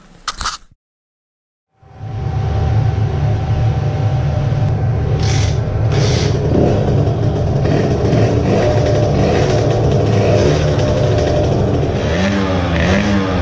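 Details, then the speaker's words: Modified moped two-stroke with a new intake manifold and carburetor, held wide open on a dyno with the airbox removed. Better but still a slightly ragged, sputtering note; about 8.5 hp at the top, 7.9 in the midrange. "better but still some sputtering"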